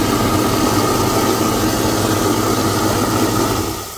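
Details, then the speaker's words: Home garbage disposal, unused for months due to clog, after reset and plunging: steady motor hum with a faint high whine, even tone, no grinding or rattle; spinning freely, water drains well and it is no longer clogged. "look at that the water is now coming down really good the plunger works the garbage disposal is working let's turn it"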